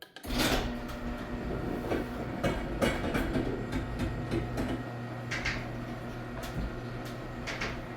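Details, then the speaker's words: Garage door opening after the noisy areas were sprayed with lubricant: even low motor drone with only a few light clicks, no creaking or scraping. It is now far quieter than before, when it was cracking, creaking and scraping. "It is so much more quiet. Wow. Before it was cracking, creaking, and scraping, and making so much sound when it was opening, and now it's almost like it's new."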